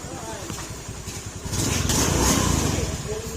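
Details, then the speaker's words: Honda Beat FI scooter engine after the part that was rubbing the CVT drive face was removed, clearing the odd noise; even steady beat picking up slightly with throttle, no catching or scraping; normal running. "Nawala yung tunog niya mga sir dahil ito sumasabit doon sa ano sumasabit doon sa drive face niya"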